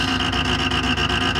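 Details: Creality Ender 5 Pro 3D printer on first use, Z axis forced toward bottom via override: harsh rapid buzzing grind with steady high whine and regular ticks as Z stepper skips, bed jammed at top near extruder; fixed by manually rotating Z down.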